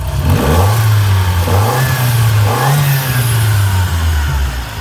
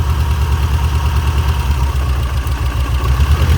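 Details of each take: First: Shelby GLHS parked 20 years: after running a while the dead cylinder cleared up, as suspected. A steady, low, smooth note with gentle revving and no miss, now firing on all four instead of three. Normal running. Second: Shelby GLHS parked 20 years, first run: a lumpy, uneven idle with a missing pulse. Number three is dead; the cause could be the injector or connector, unconfirmed. Dead cylinder misfire.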